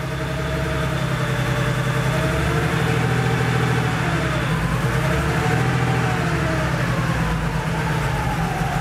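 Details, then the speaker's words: Porsche 3.2 Carrera flat-six, first start after engine installation, fuel lines initially dry, Marvel Mystery Oil in the cylinders: uneven, lumpy drone with wandering tone. Rough idle. "technically it's running it's not super happy but it's"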